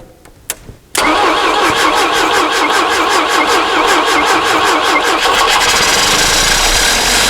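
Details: Barn-find Volvo Amazon engine after piston ring replacement: short crank, then it fires and settles into an even, steady rhythm with no misses or knocks; a clean, healthy start, with a slight water pump leak noted.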